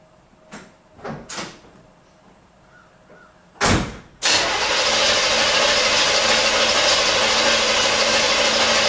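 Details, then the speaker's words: 1977 Corvette V8 not started in over 6 years, distributor disconnected so it cannot fire, cranked after fresh oil to check compression: after door thumps, the starter spins the engine at a steady even pace, healthy cranking. "remember i have the uh the distributors disconnected so it's not going to start that's for sure but we do want to crank it"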